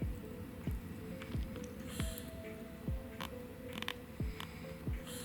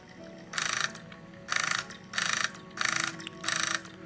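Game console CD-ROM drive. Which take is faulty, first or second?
first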